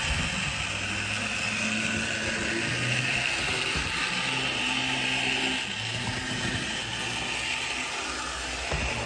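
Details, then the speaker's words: Older Bachmann GP40 locomotive, CP Rail, after cleaning and lubrication, running loops: a steady high whirring buzz with gear chatter; motor and gear noise resonating through the body shell, slightly quieter but still loud. "it's a little bit quieter but still not as silent as I would like as I say we'll give it a couple of laps"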